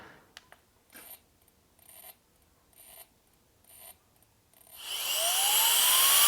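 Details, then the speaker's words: Alffaa Violent Turbo Fan electronic air duster: four or five short whirring stabs about a second apart before motor spins up to rising whine; jump-start retries of failed starts, so turn-on is delayed (about 0.7–1 s, here 5 attempts). "If it doesn't start, it will try to jump start it again. The end effect is that when you turn it on, sometimes it doesn't turn on immediately."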